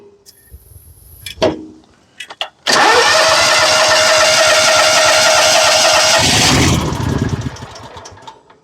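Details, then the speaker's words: Exmark zero-turn mower, Kawasaki engine with crank-no-start: catches on a sprayed shot of 50:1 mix, roars about four seconds, then sags and dies; fuel starvation, later traced to a fuel delivery issue. "Runs and dies. It still could be electrical. It could be fuel."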